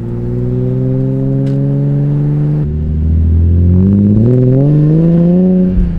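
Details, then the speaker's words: BMW E46 M3 straight-six with RKTunes and six-to-one exhaust: deep smooth drone climbing cleanly with revs, sounding like a single-turbo inline six from about 1,000–5,000 rpm then the signature M3 sound at high rpm; healthy, no misses. "it sounds like a single turbo inline six but then it gets back to the E46 M3 signature sound high RPMs"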